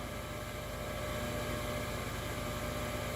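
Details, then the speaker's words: Newly installed 12V RV water pump on a homestead PEX water system: steady motor drone with a fast pulsing beat that keeps running instead of cycling off; owner expected it only to run when water is turned on, cause unknown. "The fan seems to be running for a while, and it's kind of a lot of power coming from this thing, and I thought it was only going to turn on like when you like turn the water on."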